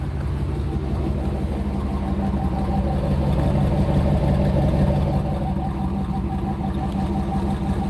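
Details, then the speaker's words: Car engine idling with a stall converter: light, steady ticking pulse, about three per second, from a slight exhaust leak. "Purr like a kid. Slight exhaust leak everybody. You just ignore that."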